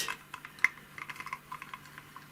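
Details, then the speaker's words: Podolsk hand-cranked sewing machine hand drive after filing a factory-defective gear so it no longer catches: only light, irregular ticks as the crank turns, knocking and crackle gone; gear now meshes cleanly. "так вот видите всё прекратился стук наш треск шестерня проходит здесь вполне нормально"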